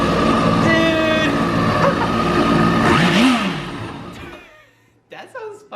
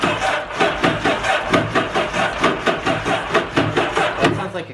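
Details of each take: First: 2011 Yamaha WaveRunner VX110 Deluxe jet ski, sitting for years, revived and run without water hookup: engine catches and revs high and fast with no hesitation, then winds down and stops; healthy revived motor. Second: 2011 Yamaha WaveRunner VX110 Deluxe jet ski, sitting unused for years, first start attempt: starter turns slowly and unevenly, about one labored beat a second, never catching; slow crank, suspected bad connections, compression test planned.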